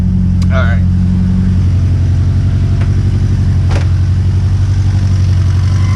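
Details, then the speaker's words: Turbo Honda S2000 with stock internals, just after an intake manifold install, warm idle: a fast, light top-end rattle about four a second; owner suspects the tensioner and plans to swap it, not confirmed. "so you could hear it in here a little bit better and yeah a little rattle so yeah it's more or less than noise a little rattle so gonna swap out that tensioner see if that fixes the issue"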